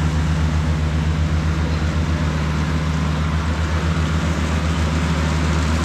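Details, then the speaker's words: Cushman diesel front-deck mower, bought with a supposedly bad hydraulic pump, tires re-aired, mowing the yard: deep, even diesel throb holding steady speed under cutting load, no knocks or misses; it mows nicely. "all right so mowed the whole yard with this thing um it mows nice"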